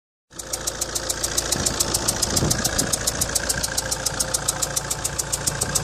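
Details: 2004 Alfa Romeo 156 1.9 JTD MultiJet 16v diesel at idle: sharp, even ticking over the idle, taken for an exhaust tick but caused by a leaking injector seal on cylinder 2 letting combustion gas escape.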